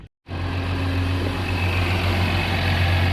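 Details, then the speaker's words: 2019 Honda Odyssey 3.5L V6 petrol just after a spark plug change with OEM iridium plugs: a steady, even low hum with no misses or ticks, settling into a smooth, healthy idle. "Engine's purring like a kitten."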